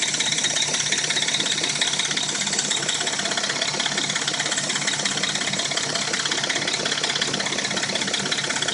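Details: Dodge Intrepid at warm idle: a fast, fairly even light rattle and tick, about three per second, with a knock; it appears only when warm and the engine sounds new when cold. Owner suspects the timing chain.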